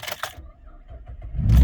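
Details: 2012 Camaro RS previously stuck in anti-theft mode, started on the original key after codes were cleared with a code reader: quiet ticking and clicks, then it fires within 1.5 seconds to a strong steady run; normal start.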